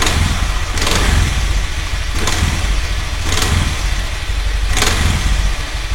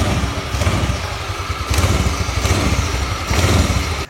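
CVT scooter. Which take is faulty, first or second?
first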